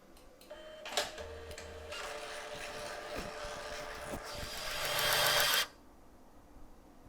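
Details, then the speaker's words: Kodak Advantix FD300 APS film scanner rewinding film into the cartridge: light motor whirr builds for a few seconds then stops cleanly; quick, normal rewind. "I'm going to rewind the film back into the canister and let's have a listen to that those dulcet tones"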